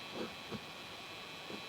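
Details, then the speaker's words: Starlink Mini dish on 12V via cigarette lighter cable in the rear car port, microphone right on the dish; faint steady high-pitched electrical buzz/hum; owner suspects insufficient power, not confirmed. "I don't know if you can hear that or not, but it makes this buzzing humming noise, which to me isn't enough power."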